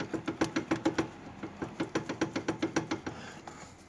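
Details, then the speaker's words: VW Parati (square body) with knock when steering left or right while driving: sharp hollow clacks three or four a second as steering linkage is rocked by hand; worn tie rod end. "O outro lado tá estourado o terminal, mas tá mais firme. Isso aqui na hora que anda com o carro 6 terços faz um barulho muito forte, tipo umas 10 vezes mais forte."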